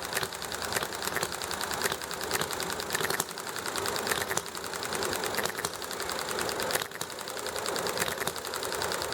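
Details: Enjomor model engine running properly: sharp firing pops spaced between quiet coasting strokes, evenly recurring over highway noise, alley traffic and neighbor chatter; normal hit-and-miss running.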